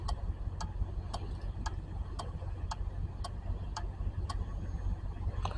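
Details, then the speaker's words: Four-pin starter relay from a 2008 Honda Civic with no crank, on a relay tester: about eleven crisp clicks, roughly two a second, over a faint low hum; the relay switches reliably and is good. "right sounds like the relay is good let's try again one more time all right the relay is good"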